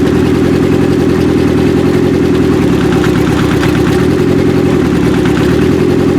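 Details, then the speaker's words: 1995 Acura Integra LS with a turbo B18 (forged pistons and rods, block guard, aftermarket cams, new head gasket), first start after the cam install: loud, uneven, lumpy idle. Unplugging the first cylinder's injector changes nothing, so that cylinder is completely dead. "First one. That's 100% dead. She was firing. That's it. Fuel injector unplugged."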